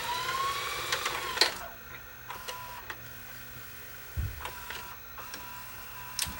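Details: Philips VRB615 VCR, grease checked and okay, full rewind: light, even motor whir with a few soft mechanism clicks, no squeal or grinding; transport healthy.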